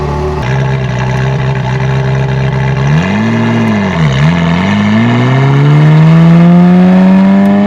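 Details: Euro-spec 1994 Ferrari F355 back in the shop shortly after a full inspection with a rough-running miss. In this clip the engine note is clean and even, climbing smoothly through the revs with no stumble or break-up, sounding healthy.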